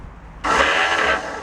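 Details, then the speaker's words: Cushman Meter Maid, starter jumpered at the solenoid with no ignition key. A short, high whirring spin-up that never turns the engine over. Starter spins freely without engaging. "Yeah, it's not engaging. So it will crank."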